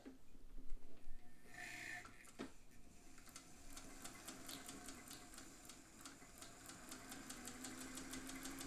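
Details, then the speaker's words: Singer 201 sewing machine sewing slowly at its longest stitch length: soft, low motor hum with light, even needle ticking two or three times a second and no knocks or rattles; known as very quiet, running normally. "It is one of the most quiet sewing machines you will ever hear or not hear."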